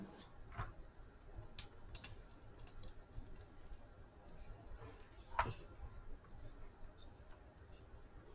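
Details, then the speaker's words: Ridgid Gen5 brushless drill motor, salvaged from drill with damaged speed controller, rotor turned slowly by hand after torx bolts retightened evenly: soft light clicks of normal magnet cogging, smooth bearings, no grinding or scraping. "you can hear that magnet as it rotates everything smooth"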